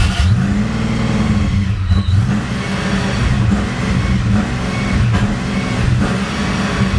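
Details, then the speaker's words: Supercharged Fox-body Mustang, first start, injector reconnected, plugs and wires on: low uneven idle that surges and sags and barely keeps running; owner suspects a vacuum leak or idle air control issue. "It's trying. Doesn't want to. Kind of thinking I might have a vacuum leak or something like that, so."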